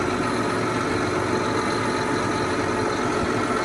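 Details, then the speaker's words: John Deere 8245R tractor diesel idling with no coolant after a broken fan blade punctured the radiator; steady heavy idle with faint irregular bumping as the damaged fan strikes the radiator. "So we got it running. We just don't have any coolant. You can hear the radiator the fan kind of bumping up in there"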